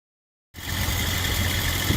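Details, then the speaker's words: Morris Minor A-series engine with Judson supercharger kit, idling after the air filter was fitted: smooth, steady idle with a faint even whine, no hiss or stumble. Now sounds much more civilized, normal idle. "put the air filter on it and it sounds much more civilized"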